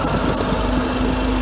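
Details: Mercedes W124 300E at steady idle: fast, light ticking over the engine from an exhaust leak at the EGR gasket, caused by one loose bolt (later tightened); EGR valve also has a leaky diaphragm.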